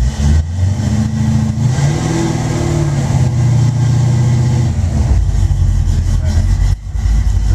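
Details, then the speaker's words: Cold engine just started by key, starts right up: catches immediately, rises briefly on the throttle, then settles into a steady, even low rumble with no misses or knocks; healthy cold start and idle. "turn the ignition on it's cold but it starts right up"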